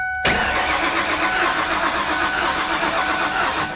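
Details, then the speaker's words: Flood-damaged supercharged 347 stroker Mustang GT, auction purchase: starter whirs steadily about three seconds with even cranking beats, no firing; cranks but won't start, fuel pump heard, lack of fuel or water in gas suspected. "yeah you think it doesn't sound like it's trying to fire at all no I don't think there's gas you don't think there's gas"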